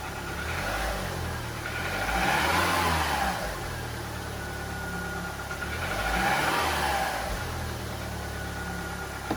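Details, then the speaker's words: Audi A2 just serviced with new oil, oil filter and spark plugs, first start after service: started immediately, smooth idle with two short throttle blips rising and falling cleanly, no rattles or misfires: normal light rev. "Sounds good so far though. Not making any funny noises. Started immediately. Sounds good."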